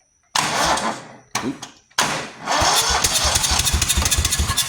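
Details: Buffalo Turbine industrial debris blower, 27 hp V-twin, after a shot of starting fluid: two short starter bursts then a longer steady crank with even chuffing, never catches; cranks but won't start.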